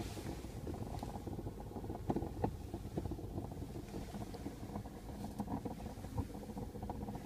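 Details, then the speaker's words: 2008 Mazda 5, gurgling from behind the dashboard like a coffee percolator, irregular bubbling and popping over a low steady rumble; apparently not the blower or fan; owner suspects air trapped in the heater core, possibly needing coolant burping or radiator cap replacement. "sounds like a coffee percolator. Any ideas?"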